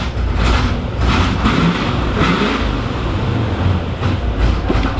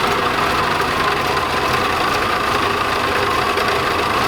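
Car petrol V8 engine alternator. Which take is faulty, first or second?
second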